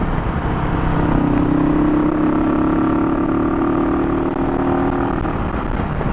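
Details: Barn-find 1971 Honda CB350 twin, kick-started because the battery is too weak to crank. Burbling idle that drifts up and down and never settles; the idle speed is erratic, cause not pinned down, and the owner wants a good battery fitted first.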